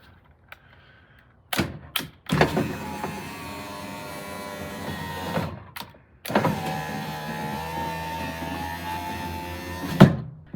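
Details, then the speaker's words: Honda Element with ignition on, after a door wiring harness repair of broken wires: two smooth, steady power window motor runs with clean stops; the window works normally again, though the battery may need charging. "sounds like the battery needs charging but that looks fixed to me"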